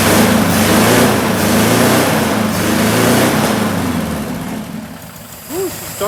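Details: 1976 Porsche 914, VW Type 4 2.0 fuel-injected engine run on a test stand after 30 years in a barn: lumpy, uneven idle with a wavering beat, then dies; rough running, timing not yet set, plugs ungapped, possible vacuum leaks.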